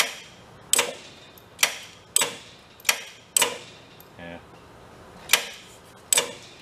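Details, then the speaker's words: Big Joe personal electric man lift on jumper packs: the big relay clicks sharply at uneven intervals, about seven in seven seconds, pulling in but not latching and dropping out; owner suspects low jumper-pack battery voltage. "We're not getting that. That big relay's not clicking in and latching."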